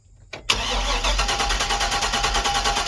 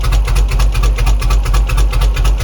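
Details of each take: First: 2004 Chevy Express 3500 6.0L V8, first start after sitting at least 7 years, with the fuel pump heard priming: it cranks briefly, catches at once and settles to a steady, even idle with clean throttle blips. A normal start and idle. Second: 2004 Chevy Express 3500 6.0 L first start after sitting five years: low lumpy idle with a heavy uneven pulse, like running on one cylinder, stalls when throttled down; good oil pressure, no knocking; rough running.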